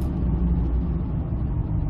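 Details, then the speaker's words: 2005 Ford F-150 9.75 rear axle, about 116,000 miles, road test after differential bearing repair: steady road rumble with only big knobby tyre hum, no whine accelerating or coasting; rear axle fixed. "i hear a tire annoying is about it let's listen nothing both accelerating and coasting"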